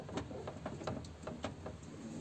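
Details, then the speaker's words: VAZ 2104 (Zhiguli) driving: dull metallic knocks, about seven in two seconds, from the rear shock absorber upper mounting stud welded into the body working loose; fix is re-welding the stud. "смотрите что происходило когда ездил она стучала"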